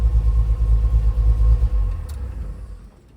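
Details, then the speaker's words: 1969 Chevy C30 V8 after head gasket replacement, running on water without a radiator: a deep, even rumble with no knocks or misses; a slight leak is suspected from a hose. "And fire right up. She's running pretty damn good."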